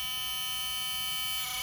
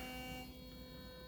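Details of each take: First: Philips Sonicare toothbrush with excessive play in the head: very loud, high, steady buzz; suspected loose internal screw. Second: Philips Sonicare toothbrush after fixing a loud, wobbly head by reseating a part: short, even, low-volume high-pitched buzz with no rattle or wobble, way quieter than before; motor running smooth, though some slight wobble remains.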